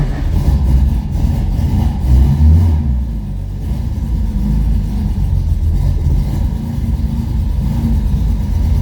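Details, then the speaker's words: 1970 Porsche 911T flat-six on its first road drive in 12 years after 5 months of work, just after the fuel pump was sorted with no leaks: steady, even drone pulling cleanly as revs rise and settle. The owner thinks fuel pressure was the earlier problem. Normal running. "It's already running better, but that could be just in my head. Already a huge improvement from when I drove it the other day."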